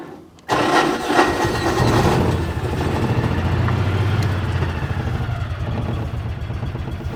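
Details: Salvage-auction Mule side-by-side, small engine: quick crank catches and settles into a steady, even low chug with no misses or knocks; healthy start and idle.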